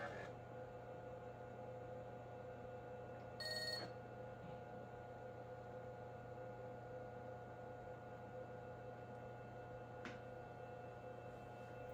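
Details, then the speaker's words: Repaired Nan Tan 8100 386 laptop starting up after hard drive mechanism cleaning: quiet fan and drive hum, one short beep, smooth whirring with no grinding or beep codes; boots normally to DOS. "Alright, and we are booted to DOS."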